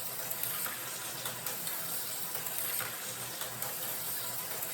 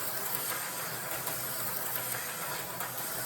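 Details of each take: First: New, not-yet-oiled slot car: hissy, rattly buzz with a thin high whine from dry gears and a sloppy idler gear, and a takeoff that is not smooth. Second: Rebuilt slot car chassis with new aftermarket BSRT AFX Magna Traction pickup springs and Tyco center pin, running on the inside lane: even high-pitched whir with no stutter, fast and smooth, running normally.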